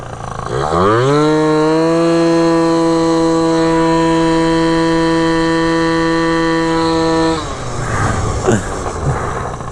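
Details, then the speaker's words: Malaguti F12 70cc two-stroke scooter under test riding after needle clip adjustment: revs climb quickly then hold a flat, buzzy drone that never builds; sounds slightly lean and lacks top-end pull, cylinder later seized. "still feeling super off right now it doesn't ever feel like it has a climb to it it sounds like it's a little lean right now"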